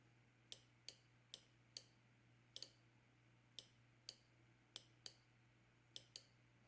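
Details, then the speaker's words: Fuel injector from a 1989 Oldsmobile Toronado bench-tested on a 12-volt supply, drawing about 0.4 amp: sharp, crisp clicks roughly twice a second with each power pulse, a good injector opening cleanly. "But 9 volts or 12 volts or 13 volts or whatever, if the thing is working, you can hear it. I hope you can hear it clicking."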